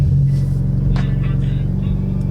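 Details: Mitsubishi Evo X idling in neutral after new coil packs were fitted to fix a misfire; steady, even low rumble with no stumble or skipped beats, although the check engine light remained on, so the owner plans a compression test.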